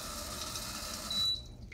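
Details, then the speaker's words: Bidet seat with a remote-controlled oscillating sprayer and tankless heater, at the end of a one-minute rear wash cycle: a steady hiss of water spray cuts off with a short beep as the nozzle retracts. This is a normal rinse and retract. "then it just puts itself away"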